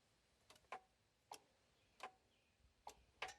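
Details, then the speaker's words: Kawasaki engine with the carburetor fuel shutoff solenoid's ground strap reconnected, key turned on: sharp, crisp metallic clicks every half second to a second. The solenoid, which cuts fuel to prevent dieseling, is working normally. "you can hear it and sometimes that Solen noid will go bad and make your carburetor act like crap the reason the solenoid is there it shuts off fuel to the main jet I believe"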